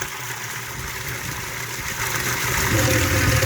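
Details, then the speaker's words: Spring-fed water collection pipe, rushing hissy water with low churning rumble growing louder; pipe inlet sucking in air, causing bubbles, possibly cavitation. "I think in explanations for some of the bubbles maybe cavitation bubbles we're maybe sucking air from this okay yeah you hear the noise it's sucking air"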